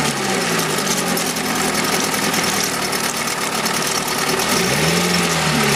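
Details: 1971 Mercury outboard (listed as 7.5, also called 72 horse) revived after coil work; cover on, busy but even steady idle without stumbling, being run out of fuel; healthy.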